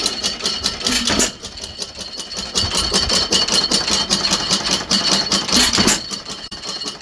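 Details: 1915 Stover 6HP antique stationary engine running with a Fairbanks Morse magneto conversion; sharp sewing-machine-like clicking, about two to three per second, is just the magneto and is normal.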